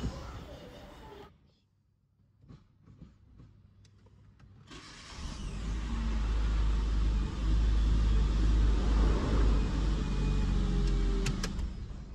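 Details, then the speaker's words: Citroën C3 after starter motor repair for noise when starting: pause, then brisk even cranking about two and a half turns per second before the engine catches and runs steadily; starter engaging normally. "e vocês vão ver juntos partidinha certinho funcionando direitinho"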